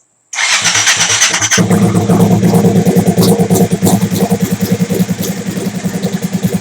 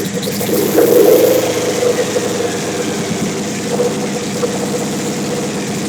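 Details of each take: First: Big-turbo Suzuki TL1000R V-twin with 560cc injectors and Power Commander, restarted during idle tuning: catches at once and settles into a steady, even idle with a regular pulse, clean and stable; owner happy with it, normal idle. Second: Big-turbo Suzuki TL1000R V-twin with 560cc injectors and Power Commander, during idle tuning: uneven, hunting idle with sharp throttle blips that spit and hang before settling; owner says it runs lean when blipped, lean idle.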